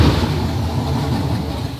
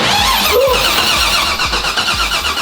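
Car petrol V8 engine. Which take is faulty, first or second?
first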